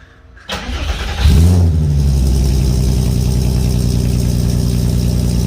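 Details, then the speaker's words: MK1 VW Rabbit GTI with swapped 3.6 VR6, new 3-inch cutback exhaust from downpipe back, cold start: brief crank, clean catch, steady deep even idle with no misses or knocks; healthy. "Day after we got the exhaust done, this is what it looks like. Let's see what a cold start sounds like."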